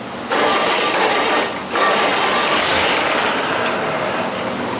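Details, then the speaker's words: 6.4 HEMI with a spun bearing, run on a stand: catches into a loud, harsh idle with a constant metallic rattle. "OH, IT'S ALL that rattling. It runs."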